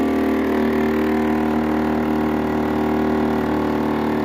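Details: Brastemp 15 kg washing machine (BWBW15/PWA15) while filling with water: a loud, steady buzzing drone with a rapid flutter, unchanging throughout, from a faulty water inlet valve chattering under pressure.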